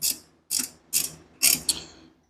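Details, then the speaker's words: Mustang with budget GT45 turbo: sharp metallic pings, like detonation, fading as the engine shuts off; the noise stops with the belt removed, so something in the belt-driven accessory drive pings at shutdown. "it 100% sounds like detonation when you shut it off kind of makes that pinging noise"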